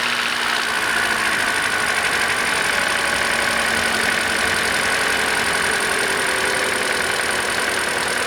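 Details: 2013 Hyundai Elantra, just over 60,000 miles, after alternator and serpentine belt replacement: smooth, even idle with steady hum, no knocks, ticks or squeal; charging voltage confirmed, normal idle.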